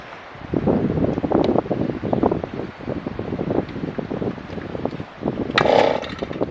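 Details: Auger engine, which ran that morning, outdoors in wind: repeated quick recoil pulls, each rasping over without catching or running, so it won't start; cause unknown.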